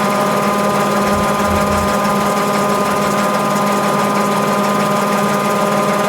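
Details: Mabe 18 kg washer, spin cycle with 110 V applied to thermo-actuator and drain pump throughout: steady, even motor hum and pump whir, no knocking or grinding; normal spin cycle.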